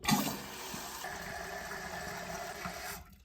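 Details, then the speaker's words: Toilet refilling after the flapper chain was re-linked to the proper length: steady rushing hiss of water that cuts off cleanly with no trickle after, showing the flapper now seals and no water gets by. "do you hear that that is the sound of the flapper actually working now and sealing it and no water is getting by"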